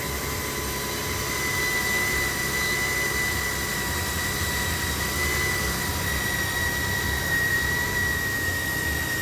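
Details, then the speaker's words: 2008 Jeep Grand Cherokee 4.7 L 4x4 that came in with a dead battery and smoke from the fuse box: a steady high-pitched whine over the running engine; the current probe shows the alternator has bad diodes and is only putting out 30 amps. "at that he got bad you got bad diodes in this header just throwing 30 amps"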